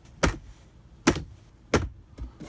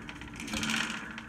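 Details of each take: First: Ikea cellular blind in a bus conversion, driving with the air conditioning off, after its rattling internal spring was wrapped in paper towel: only a few soft, irregular taps over low road rumble, with no spring rattle. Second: Ikea cellular blind in a bus conversion, quick light tinny rattle over road hum while driving: loose spring in the headrail; fixed by wrapping the spring in paper towel.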